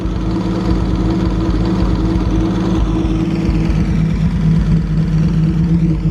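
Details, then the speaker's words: 1937 Talbot 3 Litre (3.2-litre straight six), recommissioned, starting to warm, improvised top hose, fed from a fuel tin: steady, even low rumble at idle with no knocks or misses; normal idle. "it's just great to hear it running and see it running outside and it got here under its own steam"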